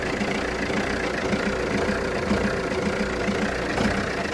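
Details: Jeep Renegade 1.6 Multijet diesel, 177,000 km (110,000 miles), idling after 3-4 minutes: uneven stumbling beat with dropped pulses over clatter; misfire, no check engine light or smoke, clears once warm, cause unknown (owner suspects O2, MAF or injector).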